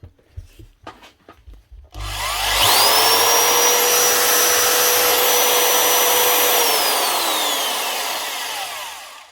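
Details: Old, hardly used Hitachi DV20V2 240V corded impact drill: motor spins up to a clean, steady high whine, holds evenly, winds down smoothly with no grinding or rattle; normal running.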